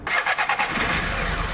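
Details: VW Polo petrol that cranked but wouldn't start, now that its faulty fuel pump wiring has been rejoined and fuel is delivered. A few cranking pulses, then it fires with a slight early misfire and settles into a stable run; starting fault fixed.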